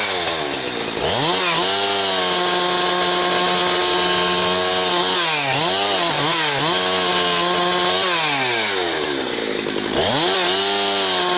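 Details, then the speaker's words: Husqvarna 362XP Special chainsaw cutting firewood with the wrong ignition coil fitted. Revs are uneven, with pitch sagging and wavering, bobbling and gargling, well off its RPM range and never holding full speed. Misfire caused by the wrong coil. "YEAH, that is very frustrating to uh have something that's uh bobbling around and gargling like that."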